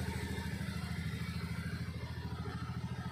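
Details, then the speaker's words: Honda Scoopy FI, rarely used, no spark traced to rat-chewed wire to the ignition coil, just restarted after repair: steady low idle putter, even pulses, no misses or stumbles. "Hai kedalaman disini motornya sudah hidup kembali berarti masalahnya tadi itu"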